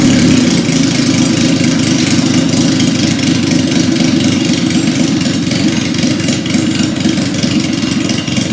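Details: 1977 Yamaha XS750, first start in 30 years, rebuilt carbs, velocity stacks, new oil, filter, plugs, resistors and throttle cable, auxiliary fuel tank: catches and settles into a steady, even idle with clean throttle blips; runs right.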